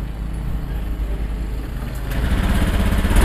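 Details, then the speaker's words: Honda Beat Pop scooter before repair: uneven idle turns rough and flat when the throttle opens, hesitating and then stalling. The cause was low fuel pump pressure, a weak pump. "permasalahan motor beat pop ini brebet ya teman-teman apalagi saat dihidupkan di gas itu dia delay jadi seperti ini"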